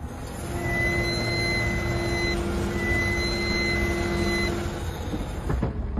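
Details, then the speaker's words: A sharp, steady high-pitched squeal from the front wheels comes in twice as the brakes are applied; the mechanic said the brake pads were due for replacement. "mu frenlere bastığım anda ön tekerleklerden Keskin Bir Çığlık geliyor arabayı tamirciye götürdüm fren balatalarını değiştirmenin Zamanı Geldi Dediler"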